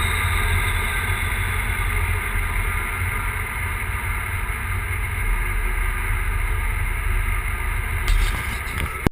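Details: Big-turbo E85 Volvo 940 misfiring for unknown reason: uneven, stumbling exhaust note with irregular dropouts in the low rumble.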